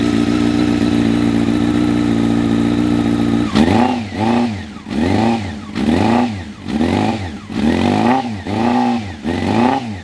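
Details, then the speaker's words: Honda CBR600 F3 Smokin Joe's edition with a Yoshimura exhaust, sat a few years, carbs serviced last year: the four-cylinder fires and idles steadily, with clean quick blips returning smoothly to idle. It sounds healthy but could use fresh fuel. "Fires up pretty good. Sounds healthy. Sounds good with that Yoshi sauce."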